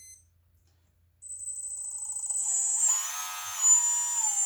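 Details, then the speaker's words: CSMI RC hydraulic forklift with counterweight and cab fitted, power supply connected before a hydraulic lift test: a high steady beep, then a short run of stepped tones as the ESC arms; normal startup. "And I'm going to put my power supply on. You'll hear the ESC beep."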